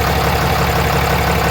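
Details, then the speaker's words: Diesel truck idling after major repairs, including transmission fluid and coolant refills, checked for leaks and air leaks with the boost tube running well. Deep, even, steady low rumble with no knocks or misses; sounds healthy. "So truck sounds good. I am proud of myself."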